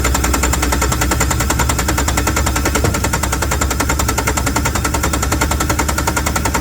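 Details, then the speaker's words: Yanmar TK486 4-cylinder diesel bought used, cranked with the fuel shutoff solenoid jumped: steady rapid chugging, two or three beats a second, that never catches; no start, with fuel leaking at two injection lines left loose. "I must be getting fuel, because I am leaking fuel up here at both injection lines. So it looks like somebody's had these cracked loose."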